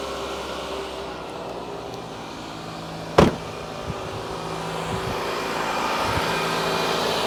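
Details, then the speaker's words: Toyota at idle on ramps, started to check for ticks: an even, steady low idle with no ticking or knocking, one brief click aside, nothing leaking. Odometer about 289,126 miles. Check engine light on for EVAP. Normal, healthy idle. "crazy sounds good nothing leaking so like I said 28,9 126 miles 600 mil over but you know that's fine"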